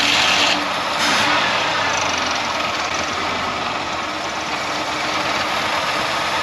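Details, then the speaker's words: Parked 10+ years 1977 Mercury Grand Marquis engine, rear raised off ground: catches and runs unevenly, lurching and fading, won't hold idle and nearly stalls; rough running and stalling, battery then goes dead. "I'm not trying to rev it up but can't get it to idle so"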